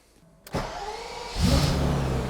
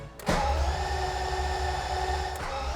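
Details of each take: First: 1991 BMW E31 850i, M70B54 V12 cold start after a two-year restoration: the engine catches cleanly and revs rise, with a thin whine following engine speed from the complaining power steering pump. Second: 1991 BMW E31 850i, M70B54 V12, after two years of restoration, with oil added, first crank without firing: steady whirring starter crank with even low pulsing, turning over smoothly and building oil pressure; healthy crank.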